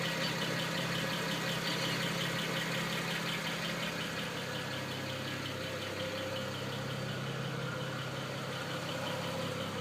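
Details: BMW 335i petrol engine idling steadily with a light, fairly regular tick over the hum, about three a second.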